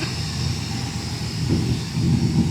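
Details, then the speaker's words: El Caballero V8 with fuel injection, just started after fixing valve cover oil leak (loose cover sides), run for a few minutes to check for drips: deep even rumble, steady firing beat, no knocks or ticks; normal running. "That got her going. [Music] I don't know about you, but that thing sounds so good."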